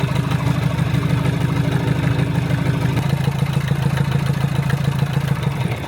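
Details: Land Rover Series 3 109" (1975) with a Perkins 4.203 diesel, after head gasket replacement and valve job: steady, even idle with light injector clatter and no knocks or misses, a normal idle. The engine is still somewhat noisy on the road.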